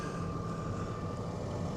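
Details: Excavator: steady high squeal over low engine rumble from a dry, ungreased pivot pin whose grease nipple is broken off.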